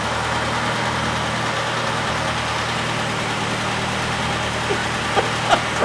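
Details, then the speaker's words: VW air-cooled engine on dyno with an experimental vacuum distributor using a bus vacuum canister, bigger valves and camshaft, 55 idle jet: steady even idle with constant low drone, no stumbling; running better, rich/lean tuning still ongoing. "Running a little better."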